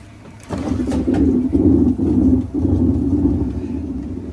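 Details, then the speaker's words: Washer with its drum spun by hand gives a coarse, throbbing rumble, clearly a bad tub bearing and gear case. "clearly a bad bearing and gear case"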